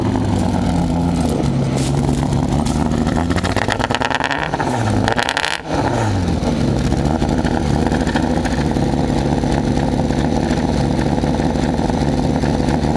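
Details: Mazda MX-6 LS petrol engine at low revs, revved up and down: uneven stumbling misfire from weak spark, easing at high rpm (not reached here); plugs and wires seem ok, owner suspects bad distributor; fuel smell noted.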